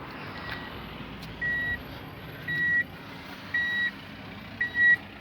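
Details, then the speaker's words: Tommy Kaira M25TW during manual conversion wiring, reverse signal bridged with the car not running: clear high-pitched beeps about once a second, reverse camera also restored; parking sensor beeping normally. "so now what I'll do is I'll illuminate the reverse and I should get my beeper back and my rear view cameras back so let's see so just close these two you can hear the calls beeping there"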